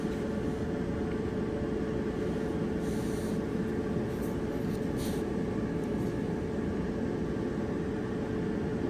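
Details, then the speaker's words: Dryer after drum roller replacement, drum running: smooth, even rumble with steady hum and no knocking or wobble thump; normal operation after fixing the wobbling noise. "okay here's the before sound before the roller was replaced and here's the after sound after the roller was replaced"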